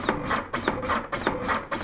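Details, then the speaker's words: Defibtech Lifeline ARM automated CPR device: regular push-and-release thumps at 100 compressions a minute, two inches deep, each stroke identical and evenly spaced, cycle of 30 compressions; normal compression cycle. "then once that's in place we'll just press the button and now it's going to deliver at a rate of 100 compressions a minute and two inches the compressions so deliver 30 compressions"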